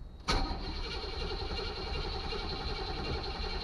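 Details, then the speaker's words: 1984 Chevy Caprice 2-door bought non-running, first start after replacing the ignition cylinder and fitting a battery, check engine light on: quiet, then a sharp catch into a steady even low-rumble idle; cranks and fires cleanly. "She's spinning over. No way! No way! Check engine light is on. It runs!"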